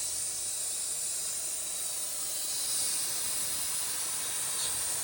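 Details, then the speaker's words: Vauxhall Insignia diesel: loud, steady high-pitched hiss over a faint engine. A severely blocked DPF caused excess exhaust back pressure that split the DPF pressure sensor pipe at the front of the engine. Engine light on. "so with a little looking around I found this pipe down here to the split and that's where it's leaking from"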